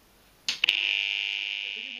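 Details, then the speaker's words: Magneto-thermal circuit breaker under an overload test of about 3 kW: sudden, steady high-pitched buzz for nearly two seconds as the coil vibrates under excess current, heating and suffering, before the bimetal trips. "alors le bruit qu'on entendait à l'intérieur du du disjoncteur c'est la bobine c'est-à-dire que la bobine elle est à deux doigts de sauter et vibre parce qu'il y a beaucoup de courant c'est bien trop pour elle donc elle chauffe et s'abîme"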